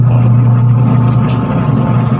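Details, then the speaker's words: Washing machine with the timer turned on: loud, steady low hum but the tub won't turn unless pushed by hand. "yan oh wala siyang ikot ngayon piitin natin onong ano timer niya Ugong lang siya Ugong hindi siya ikot"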